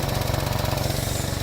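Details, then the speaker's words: Vauxhall Mokka with EML light, idling, heard under the car: sharp rhythmic puffing with firing pulses; exhaust leaking just before the O2 sensor, so the sensor flagged as bad may just be missing the expected gas. "So that O2 sensor there, it was saying is bad, but it's maybe not seeing the gas that it's expecting to see. It's all rushing out of just there actually."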